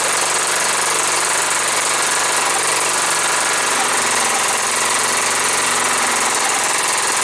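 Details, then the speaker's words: John Deere STX38, Kohler Command 13 hp engine, first start, choked, gas poured in carb: loud, ragged, unsteady running that can't settle to idle; owner suspects old gas. "it runs it runs not doesn't want to idle it's probably because they got some old gas"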